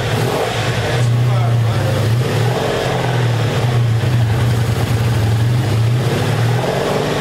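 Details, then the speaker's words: 1984 Honda Saber VF700S after long storage, running with the airbox off: steady, even burble with a couple of light blips and no misses; sounds good, though it should run better with the airbox refitted for carburetor back pressure. "plus i think it'll run better when you hook up the air box because it puts more back pressure on the carburetors but she sounds good though"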